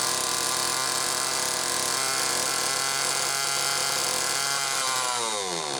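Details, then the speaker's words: XL-2 chainsaw on test run after crankcase reseal and spark plug wire repair: shrill scream near full revs with no throttle, winding down after five seconds; idle speed screw turned almost all the way in; wrong carb circuit plate gasket left the carb way out of tune. "Okay. Well, I know it was running goofy before because the idle speed screw was run almost all the way in. That's why it was racing like that."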